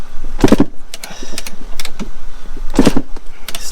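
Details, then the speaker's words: Yamaha YZ250 two-stroke dirt bike, fuel and choke on: two kick-start attempts with no firing; oil seen leaking; owner suspects the spark plug, maybe the fuel filter or electrics, cause unknown. "is it the fuel filter is it electrical i'm not sure [Music] i've got a feeling it's the spark plug that needs to be changed"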